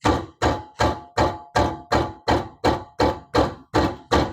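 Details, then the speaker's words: Maruti Alto front wheel, tyre edge struck by hand, rattles on rough roads: about a dozen evenly spaced hollow metallic knocks, nearly three a second; worn caliper guide pin, fixed by replacing the pin (loose wheel cap can mimic it). "Metal noise வருது இல்லையா"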